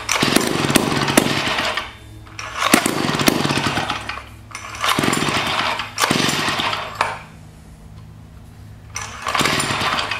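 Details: 1956 Eclipse Wasp chainsaw first run after flushing, carburetor top screw opened slightly: revs up in rough bursts every couple of seconds then sags to a ragged idle; surging, carburetor to be pulled, cause not confirmed.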